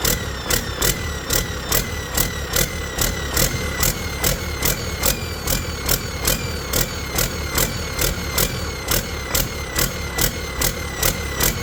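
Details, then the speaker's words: Detroit 40 series generator turbo diesel (rebranded Navistar DT466, possibly DT530), sat outside 5+ years, running on own fuel after bleeding injectors: speed swells and drops about once a second at no load, throttle going back and forth; governor suspected, unconfirmed. "I don't know why it's jumping like that. The throttle itself is going back and forth."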